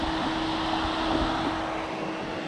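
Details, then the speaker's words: Cheap Alibaba crypto-mining power supply with original 140 mm fan, before fan replacement: loud steady whooshing roar with a thin constant tone, owner believes the fan is the source; loud fan noise. "so as you guys can hear this power supply is actually really loud you guys can definitely hear that on the video"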